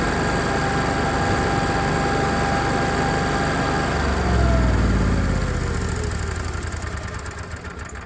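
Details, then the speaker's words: Onan 7kW generator after an oil and filter change, primed and cranked: steady, even engine hum with a smooth regular beat, settling without misses or knocks; starts and runs normally. "Sounds like we fired up no problem."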